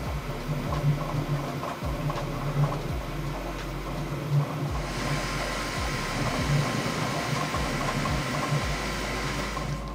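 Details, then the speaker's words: Bambu Lab P1S 3D printer printing after firmware 1.05 noise-cancelling update and calibration, no audible change; steady fan hum with soft irregular stepper moves and buzzes, no grinding or knocking; normal printing noise. "on my b1s I still hear the movement the printer standing right behind me I hear the sound very well"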